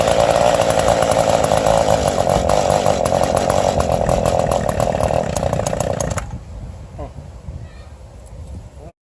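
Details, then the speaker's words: Old Echo 2-cycle engine found in a scrap pile, on its side after priming, running on regular gas: rough, raspy two-stroke buzz holds steady about six seconds then dies away; it runs, though primer ball is bad. "But it runs. And these you both put in the cover and obviously run on its own after we put regular gas in there. This thing runs, it just got a bad wheel that's broken off."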